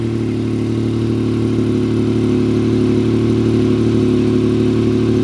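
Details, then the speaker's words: Salvage vehicle at auction, listed as starts but does not drive, with front-end damage, started in neutral: loud, even idle with a smooth steady hum and no knocks, misses or surging; engine idling healthily. "good sounds damn good"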